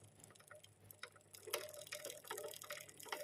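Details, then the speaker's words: Owner's own Yamaha R on its center stand, chain tension adequate: light uneven clack-clack ticks from the chain and front sprocket. Cause: the sprocket set is misaligned with the engine, so the front sprocket wears on one side. "It's not too loud, Bro, it's just like that. So the sound is clack, clack,"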